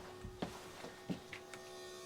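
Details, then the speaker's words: Newly installed replacement fan motor assembly in truck camper bathroom vent, powered up before fitting the blade: faint, steady electric hum with a few handling knocks over it; small fan motor spins smoothly and sounds healthy. "is that that little motor right here running I hear"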